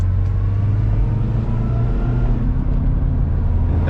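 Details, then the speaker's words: Rebuilt Copart Nissan Altima cruising on the street with AC fixed; a steady low drone under the road noise; the owner suspects a wheel bearing, but another person says it is the tire. "I don't know, can y'all hear the wheel bearing? I think y'all can hear it. I I still think it's the wheel bearing."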